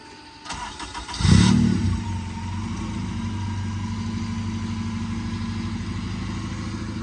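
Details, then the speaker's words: Honda Civic EK with K-series engine swap and new exhaust: brief crank, catches first try with a quick rev, settles into steady even idle; normal start and idle. "Oh yeah. Oh shit. Woo. Yeah. Big K series, man. That shit stink."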